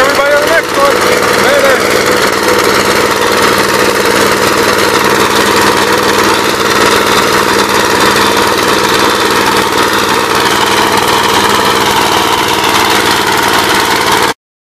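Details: 1959 Gravely LI single-cylinder engine with 20-over piston, oil had been mostly water, reassembled with PTO installed; steady busy chatter at even speed throughout, no misses or surging, running properly.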